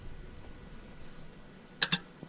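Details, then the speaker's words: 2007 Mazda 3 hatchback, no-crank no-start: with the starter solenoid powered directly by a power probe, bypassing the car's wiring, there is only a sharp double click and no cranking; solenoid good, starter motor bad. "we are directly powering the starter and it's not turning on it's just clicking that means the motor is it's done the starter motor is bad"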